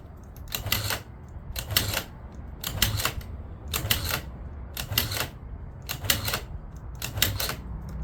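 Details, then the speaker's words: Long-sitting 2009 Yamaha Zuma 50 two-stroke scooter, battery dead so kickstarted before any carb work: slow kicks about one a second, each a short whirring spin that never catches; no start, carb to be cleaned. "Not a chance. Let's pull that carb off and clean it out real quick."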